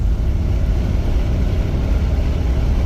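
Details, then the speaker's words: Chevy Caprice after new fuel injectors, fuel pump not yet replaced, cruising at road speed: steady, even low rumble with no stumble or surging; normal cruising. "Look at her, just floating. That's pretty good. I would say that is pretty good. Not bad at all."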